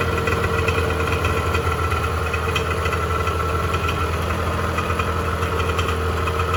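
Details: 1986 Honda NS400R 400cc two-stroke triple after 11 months standing, run on choke to empty the carbs for storage: steady, rich burble with slightly uneven beat as the carbs empty and it starves; running on choke with fuel starvation.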